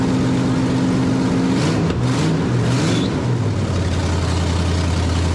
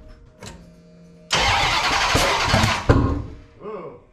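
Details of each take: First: 1989 Dodge Ramcharger 383 V8 on open headers, newly fitted Pro Series distributor with changed advance springs, timing not yet set with a light: throttle blip then deep, steady, even lope and clean shutoff; running well. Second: 1989 Dodge Ramcharger 383 on open headers, new CRT Pro Series distributor with changed advance springs; cranking then sharp pop back through carburetor: ignition firing but distributor installed 180 degrees out, timing/firing order off.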